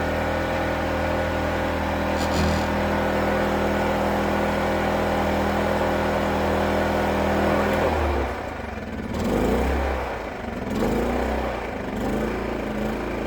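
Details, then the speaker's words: WEN inverter generator in a truck DIY APU, refrigerator load added in eco mode: steady hum for several seconds, then speed drops and hunts unevenly as it cuts down to match the load; normal eco-mode throttling. "mode you see what it did it seemed what it needed and it cut it it cut down"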